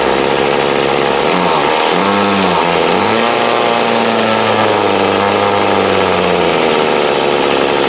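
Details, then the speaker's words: 2008 Troy Bilt TB20CS 31cc two-stroke trimmer, fuel lines, filter and primer replaced, warm after about 5 minutes idling, wanted half choke; buzzes, then stumbles and sags as throttled before picking up: carb dead spot, hesitation on acceleration. "Seems to run good. It's just got to get that dead spot out of it."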